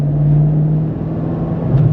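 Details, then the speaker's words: 2006 HSV VE Senator Signature, factory LS2 6.0 L V8 (307 kW, 550 Nm), drive POV: steady V8 drone under way, then the note sags and jumps unevenly at the roughly third-to-fourth gear change, a rough shift the owner thinks can be fixed. "that gear change there I think it's from third to Fourth is's a quite a little bit rough uh nothing that we can't be nothing that can't be fixed"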